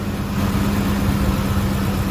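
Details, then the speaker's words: 2005 Ford F-150 5.4L 3-valve Triton V8 after replacing the roller followers following noise despite a timing job 20,000 miles earlier: even, quiet idle with a steady hum and no ticking in the valvetrain on either bank; normal healthy idle. "Sounds like a brand new 543 valve. On both sides, nice and smooth, nice and quiet."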